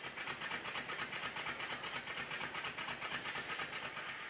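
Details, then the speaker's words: Rebuilt Stuart 10V steam engine on compressed air, after fitting two bearing shims and tightening the bearings: quick, even chuffing at about two beats per second with no knocks or rattles; smooth running, though valve timing is still to be adjusted. "the knocking has all but disappeared"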